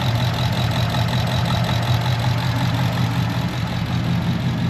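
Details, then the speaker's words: 2015 Ford Mustang with P0308 cylinder 8 misfire persisting after spark plug and coil swaps: uneven idle with recurring stumble as one cylinder drops out; oscilloscope on injector signal traced it to a faulty engine computer. "es que pues tenemos una computadora dañada en el m habrá que estarle preso al cliente"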